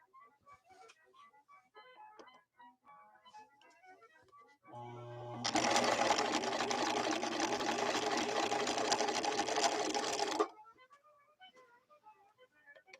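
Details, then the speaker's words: 1970s Viking Husqvarna 6460 Colormatic after several repairs, sewing a straight stitch with red thread: smooth even mechanical whirr with steady rapid stitch rhythm for about five seconds, starting and stopping cleanly; normal running, lovely stitching. "Lovely, lovely stitching. Lovely stitching."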